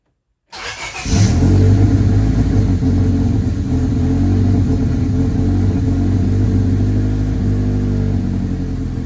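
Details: 1998 Honda Civic after throttle body O-ring refit and DTCs cleared: catches after a short crank into a lumpy, uneven idle with an unsteady low beat. Owner suspects the MAP sensor (reading about 11–12), or timing being off.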